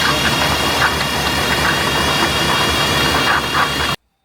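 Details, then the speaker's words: Old GMC squarebody truck started, rough idle with knocks; high steady unchanging squeal over it, later identified as a failed water pump bearing, pump to be replaced. "As you heard, when we fired it up at the start of this episode, it was making a lot of noise. Somewhere in there, there was something squealing. We didn't know what."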